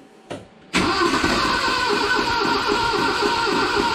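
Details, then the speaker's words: 1970 Datsun 521 with L16 engine unrun for years, new Weber carb, electronic distributor and 3-ohm coil. Fuel pump has filled the filter; cranking to fill the carb bowl. Steady starter churn, about three compression pulses a second, no firing; bowl still dry. "so now in theory the carb Bowl should fill up with gas here try to cranking out I need to fill up the carburetor with"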